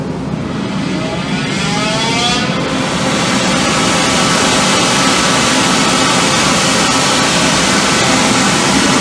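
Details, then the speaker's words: 2005 CompAir L45SR variable-speed air-cooled rotary screw compressor, 60 HP 45 kW 460V motor, enclosure doors off, no dryer, discharging full air through a pipe: rising whir spooling up, then steady smooth air roar, no knocks or rattles; healthy. "so I will start it and we'll listen to it ramped up and again it's just gonna exhaust a full full air so you won't really get a feel for the variable speed other than when it starts up"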